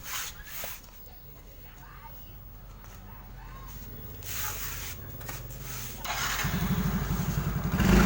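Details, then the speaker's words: Yamaha Mio J scooter that hesitated and died on throttle, after injector cleaning: starts immediately, runs strong with clean even pulses and responds quickly when revved; normal start and revving. "Oke teman-teman, kalian bisa dengar bagaimana suara mesin dan bagaimana performanya saat digas. Jadi semuanya berjalan lancar, sangat lancar. Mesinnya langsung menyala dan merespons dengan cepat saat digas."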